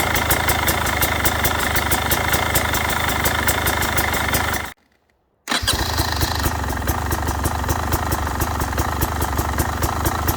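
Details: Brand-new 2022 Beta 300RR Racing two-stroke, 0 miles, zero hours, at idle: crisp, even popping with a steady beat, no rattles or knocks; engine sounds normal.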